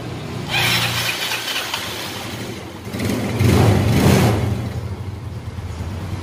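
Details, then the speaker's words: Yamaha Mio Smile scooter that is hard to start cold in the morning, here with a hot engine: starts promptly, blips, then settles into a smooth even idle; valves suspected for the cold-start trouble. "mesin panas hidupnya enak bro ya. Suara mesin masih halus, belum ada kendala."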